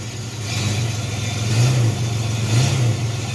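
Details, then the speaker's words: Chevy S10 with swapped 2.8 engine after drag strip passes; low droning engine note with slow uneven surge about once a second with shifter in first; automatic slips into second, no fourth/lockup; shop suspects planetary gear failure. "After the drag race, there's something wrong with first to second, or just first. It slips going into second. Something's not right. And if I bring it the shifter all the way to first, it makes this noise."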